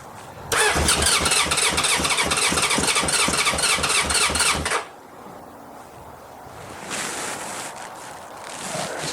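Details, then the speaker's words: 1981 Honda CB750K four-cylinder, bought as a parts bike, fresh fuel added: the starter spins the engine at an even chug of about four beats a second for four seconds with no firing, then quits; it cranks but won't start. "well it does nothing i guess oh he doesn't want to start"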